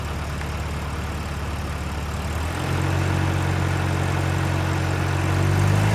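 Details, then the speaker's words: 1989 Volvo 740 GL saloon left in a field for at least 3 years, started straight up with compression confirmed and no coolant in it. A steady, even low idle with a smooth unbroken pulse that firms up slightly partway through, with no knocks, misses or rattles. A normal idle. "and it started straight up like it's in use every day so um good news terrible for Content"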